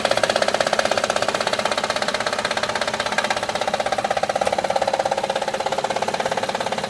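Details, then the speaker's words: Honda Odyssey at idle: steady rhythmic tapping rattle, roughly three beats a second, from a noisy timing belt tensioner. After replacing the tensioner the engine was very quiet. "okay the first part of our video you can hear the Angels make a lot of noise and what closet was this dry belt tensioner"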